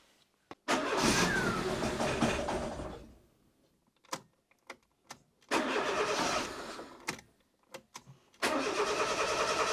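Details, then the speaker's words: 1999 Fiat Panda 4x4 1.1 FIRE engine, turbo kit removed, Cinquecento ECU fitted, compression 230psi all cylinders: catches, runs roughly, dies, stumbles again, won't idle; running extremely rich, black exhaust, cause unknown. "Yes, as you can hear, it doesn't really run. I can get it to run by feathering the throttle a little bit, but it's running extremely poorly and it's rich."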